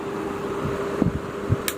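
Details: Table fan after repair and oiling, running on speed settings: only a low, steady motor hum with a couple of faint light clicks, no rattle or grinding; the fan runs quietly and normally.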